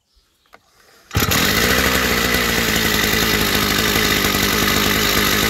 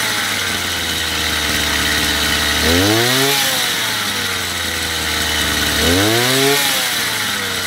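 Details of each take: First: Chinese two-stroke brush cutter on first start before carburetor adjustment, with the throttle opened too far: starts on the pull and settles into a fast, buzzy, steady run instead of a slow idle. Idle speed set too high. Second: Chinese two-stroke brush cutter after carburetor adjustment, with the small screw set to about 9,000 rpm: a steady high buzzing idle, then two clean blips rising smoothly and dropping back evenly. Normal running, adjustment finished.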